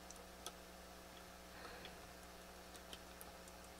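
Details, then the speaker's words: Akai GX-230D open reel tape deck under overhaul: tapping resistors in the high-gain amplifier stages produces sharp ticks in the speaker over a steady low mains hum; microphonic resistors or a bad capacitor suspected, not confirmed. "some of these resistors here are microphonic and i'm just thinking maybe this is one of the problems like for example if i tap some of these resistors i can hear it in the speaker"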